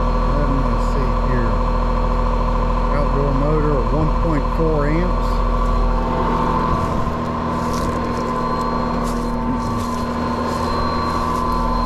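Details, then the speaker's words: Older Trane R22 AC condenser, customer complaint of noise outside, fan motor over-amping: steady low drone with constant electrical hum, no knocking; condenser fan motor strained and failing, replaced. "all right that sounds like that condenser fan motor is a problem so"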